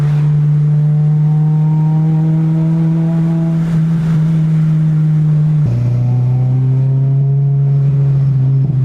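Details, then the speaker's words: Honda VTEC car on K-Pro, injectors rescaled, on an ethanol blend while driving: steady drone climbing, dropping at a gear change, pulling again smoothly; injectors working, running well. "super super happy right now the car is running really good"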